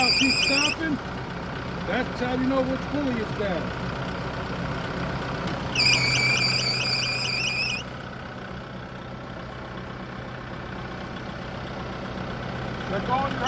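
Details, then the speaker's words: Kubota broom tractor during a pre-trip inspection: over a steady diesel idle, a high chirping squeal comes in short bursts from the engine compartment, from a squealing accessory belt or pulley. "You can hear now that it's going, it's got a belt or a pulley squealing."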